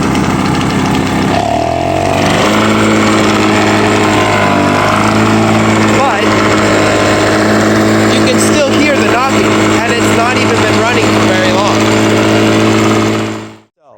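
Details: 1996 Toro 22040 commercial mower 2-stroke, after freeing a fuel-flow restriction and with the governor found out of adjustment: starts in low speed within a couple of pulls and settles into a steady, even buzz without surging, idling properly.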